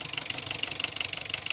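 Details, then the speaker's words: Diesel engine with weak pickup under load, hard-running: sharp, hard metallic clatter pulsing rapidly and evenly at idle; diesel knock from over-advanced injection pump timing. "जब गाड़ी पर वज़न डालते हैं तो इसकी pickup बिल्कुल कमज़ोर हो जाती है। तो गाड़ी बहुत ज़्यादा कड़क है, तो साउंड से भी आपको पता चल जाता है।"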